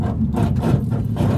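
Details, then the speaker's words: Lowered car on 40k BC Racing springs with new exhaust modified to sit higher, still hanging low: low engine drone with short rough rasping bursts as the exhaust scrapes on the road while driving. "but as you guys can hear it's not going too hot it's scraping on flag"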